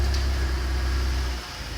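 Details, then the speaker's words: 2007 Chrysler PT Cruiser, 2.4 L non-turbo DOHC, after a motor mount adjustment to cure shaking at idle: low, even hum in gear with no shake or lumpy pulsing. A smooth, healthy idle, much improved though not perfect. "holy smooth that's that's right where it should be way better like not still not going to be the smoothest car on the planet not 100%"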